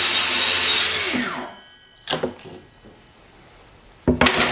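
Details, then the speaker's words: Circular saw cutting stock at the limit of its depth capacity with an unsuitable blade. High whine sags as rpm drops under load, then winds down. Burn marks left on the cut. Motor bogging under load. "Ah, franchement, je m'attendais à... On entend le moteur qui descend en tour minute. Je pensais que ça allait être pire."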